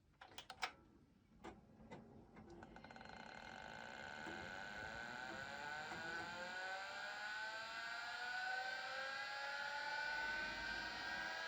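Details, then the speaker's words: A vintage Miniscribe 6085 5.25-inch hard drive gives a few sharp clicks, then a smooth whine climbing steadily in pitch to speed. It is a healthy spin-up, and the heads park at shutoff. "Okay, I think that's what it should do, and it sounds really nice. So that's a really good sign, yes."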